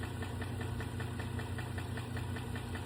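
Steady tick at about two and a half per second over an even idle, following engine speed; valvetrain or lifter noise, cause unconfirmed.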